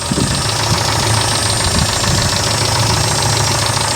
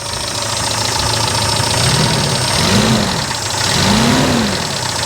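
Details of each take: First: 1995 Daihatsu Feroza cold idle after oil pump replacement, front diff disconnected: even low rumble with light ticking on top, oil pressure 66 psi; belt sounds a bit dry; runs normally. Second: 1995 Daihatsu Feroza after oil pump replacement, 66 psi oil pressure: revs rising and falling with light top-end ticking under the running noise, probably lifters or rocker arms; belt sounds slightly dry.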